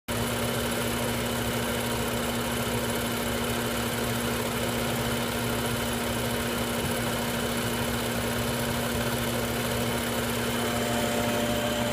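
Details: BMW 640 idling with an odd droning hum and faint rhythmic ticking, recorded in the engine bay: abnormal engine noise at idle.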